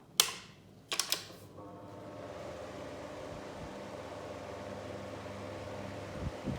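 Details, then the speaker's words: Two Indola 10-inch desk fans, 1960s and 1970s, compared running side by side: steady low motor hum and soft even whir after the switch clicks, no ticking or rubbing; one is nearly silent, the other louder; normal running. "upon listening to it basically can't hear this one at all this one makes no noise compared to this one"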